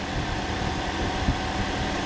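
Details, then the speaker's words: Toyota Corolla engine, first start after work, already primed, before coolant fill and bleeding, no engine lights: smooth, even low idle hum with steady beat and no knocks or misses; runs healthy. "That sounds gorgeous. Started nice and easy, it was already primed"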